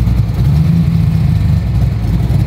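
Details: Ford GT40, sat about 20 years, rat-chewed wiring repaired: deep, steady idle with even low rumble, no knocks or misses; engine sounds healthy.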